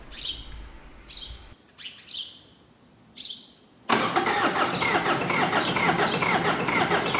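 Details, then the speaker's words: Mitsubishi L200 K74 turbo diesel stored 15 years, new fuel filter; owner suspects lack of fuel in the circuit and pumps the priming pump above the filter; short cranking bursts that don't catch, then fires and settles to steady run; hard starting. "en revanche vu que le filtre à gasoil est neuf j'opte plutôt pour un manque d'essence dans le circuit"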